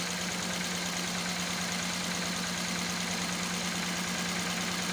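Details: Toyota Corolla EFI engine misfiring at idle: a hum with a loosely regular stumble about three times a second under heavy hiss.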